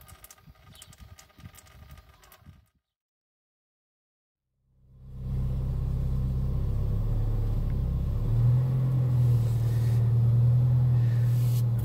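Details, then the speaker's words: Peugeot 306 S16 BV6 after clutch job (self-adjusting cable, pull-type release bearing) and gearbox oil refill: engine steady low rumble, pedal released with no noise or creak; clutch working quietly. "le pied il y a plus un bruit plus un grincement je crois que c'est c'est le meilleur moment quand on fait de la mécanique"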